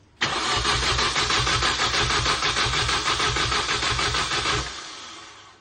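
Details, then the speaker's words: Mini Cooper S R52 first start after engine rebuild, fuel pump disconnected: steady cranking about three beats a second for four seconds, never firing, then winding down; no fuel reaching the engine suspected, not confirmed. "I got the battery on. I got the fuel pump disconnected."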